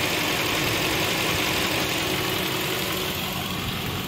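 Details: Chevrolet Spark at idle: the cooling fan is running with coolant at about 226–228°F (sensors under the radiator and at the water outlet). Steady airy fan rush with no rattle or rub: normal operation.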